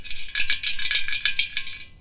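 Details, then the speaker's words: Ingersoll garden tractor muffler, removed after its guard was taken off and shaken by hand: bright, irregular metallic rattle that stops when held still; a screw that came loose is trapped inside; this has happened before. "I think that's my screw or one of the first ones that came off yep that's my screw"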